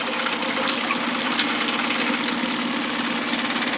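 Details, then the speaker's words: 2011 Mercury 9.9 four-stroke long shaft, after a full service: smooth, quick, even idle purr with no stumbling or rattles; the engine sounds really good. "the engine sounds really good"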